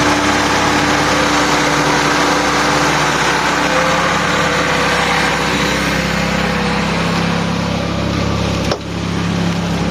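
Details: Honda Accord F22B petrol engine after repair of a no-start: the shorted wiring to the ECU, fuel-pump and main relays and ignition switch were rewired. It idles steadily with an even beat around four per second and a faint fan hum, smooth and healthy.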